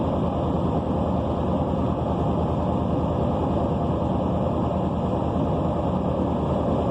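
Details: 1992 Buick Roadmaster Limited, 5.7L LT1 V8, 700R4 automatic, cold start idle: steady low rumble with a fast, even puffing pulse through it from an exhaust leak.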